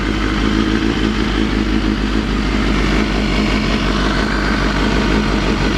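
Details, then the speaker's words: Honda CBR250RR (MC22) four-cylinder after replacing cracked, hardened carb boots and syncing the four carbs with a Morgan Carbtune: a smooth, even exhaust rumble at idle with no misses or hunting. The bike is running healthy. "yeah hear the exhaust tiring is just that b b Rumble sounds awesome"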